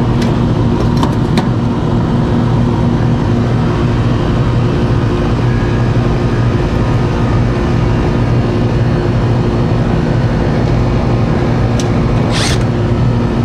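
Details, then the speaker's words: AC condenser unit once the contactor pulls in: steady low hum with an even drone and no clatter, rattle or short-cycling; the compressor now starts and runs smoothly. "oh that sounds better sounds like I got a compressor now oh yeah"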